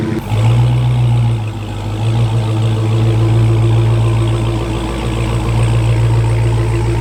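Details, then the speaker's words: Wrecked Hellcat being rebuilt, cold start (not fully cold, started only once before): a strong, steady deep idle with an even beat and no misfire or stumble. Healthy supercharged V8; normal cold start idle. "but now we need to do a cold startup right it's not super cold but it's still not too temperature and it's only been started once"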